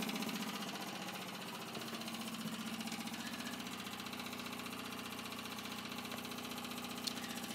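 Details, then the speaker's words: Facet Posi-Flo lift pump feeding surge tank on 1989 Nissan Bluebird fuel-injection conversion, drawing about 2 A, system already fueling: quiet even ticking about three clicks a second over low hum; normal fuel pump operation. "I had all this running already anyway so I know that it's definitely fueling on the system"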